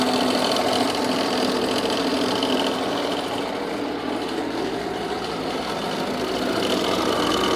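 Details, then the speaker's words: Jeep Renegade 2.0 Multijet diesel with engine noise: steady idle with light rapid clocking about three or four per second, coming from the accessory belt area; belt to be removed to separate timing-belt side from external drive, cause unconfirmed. "pessoal então como vocês podem ver aí isso poder ouvir esse barulho ele vem aqui das Correias de acessório"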